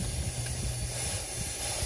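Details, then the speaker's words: Diesel truck turbo intake pressurized with boost leak detector at turbo inlet, engine off; steady hiss of escaping air, soap shows spraying at torn factory pinch-style hose connector, changes when wiggled. Boost leak. "we fixed the red hose when we put the soap here you can see it spraying off see it's spraying out of them and as I wiggle this it changes the sound"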